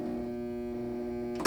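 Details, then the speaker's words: 1976 Williams Aztec electromechanical pinball machine: steady mains-pitched buzz while flipper held up, thump on release. Flipper hold coil buzzing, volume varying because flipper linkages are worn. "holding the flipper up. But that buzzing is not always the same volume. The flipper linkages are a little worn."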